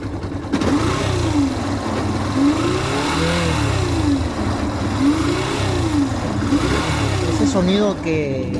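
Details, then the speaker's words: Yamaha FZ 2.0 motorcycle with a buzzy, wasp-like whine rising and falling with revs over the engine note; burnt stator, confirmed on teardown. "suena como tipo avispa se debe al estator. Y lo sé porque anteriormente ya tuve una de estas."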